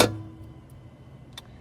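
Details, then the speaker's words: Cheap old Porsche, starter solenoid jumped directly with a jump pack: one sharp clunk/click as the solenoid tries to engage, then quiet, the starter never engages or turns the engine. "It sounds like the solenoid tried to engage, because I heard that, you hear that clunk, the click, but then something didn't get the starter to engage."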